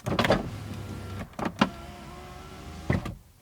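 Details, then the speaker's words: 2010 Mazda CX-7 power window after replacing stripped motor gear with 3D-printed gear, door reassembled; smooth steady whir going down and up, each ending in clean stop, no grinding or binding; fixed. "Okay, so now that we got everything in here, roll it down, roll it up, and it stops."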